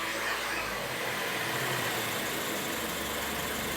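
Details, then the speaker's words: Land Rover Evoque/Range Rover, automatic idling in park after the idle-control-high and coolant pump faults were cleared and it was restarted: even, steady idle with no hunting or surging and a smooth hiss; now idling properly. "H now it's iding properly again all I did was start it"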